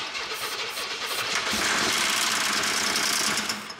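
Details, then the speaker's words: Camaro IROC-Z engine first start after 27 years dry storage, cranked to circulate oil, started on starting fluid; rough crank, brief revs with clattering uneven knock and smoke before dying; possible rod knock, unconfirmed. Knocking on first start. "that was not good oh no that did not sound good uh we have cranked this engine over a bunch of times to try and get the oil circulating because obviously it had been dry after 27 years but that sounds very clanky it could be a rod knock"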